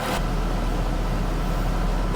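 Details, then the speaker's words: Mercedes W204 C63 AMG M156 V8 after cylinder head/camshaft-wear rebuild, idled 15 minutes, now at full operating temperature: steady deep even rumble, no tapping or stumbling; tappet noise gone, no misfires, normal idle. "that is running spot on no misfires nothing right it's been running for 15 minutes all the tapping noises have gone"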